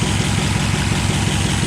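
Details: 1962 Ford F-350 after carburetor float and needle-seat adjustment, timing advance, and new plugs and wires, now running without choke through a near-straight-pipe exhaust: steady, even low rumble with a smooth regular beat, no misses or knocks; healthy idle.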